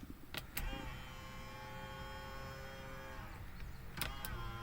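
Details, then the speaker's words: 2006–2011 Honda Civic / Acura CSX with retrofitted power folding mirrors, ignition in accessory: switch clicks, then steady mid-pitched motor whine about three seconds as mirrors fold and unfold; normal mirror motor operation. "driver's side hit the button driver out passenger out button again you can hear the motors whining"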